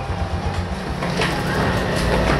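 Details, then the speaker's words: Suzuki Spin scooter that would not electric-start, now idling with a low, steady, even chug and no stumbles after the repeatedly recharged, dropped battery was replaced; normal idle. "ternyata teman-teman sudah enak ya sehat walafiat ternyata dengan mengganti aki motor ini sudah enak ya"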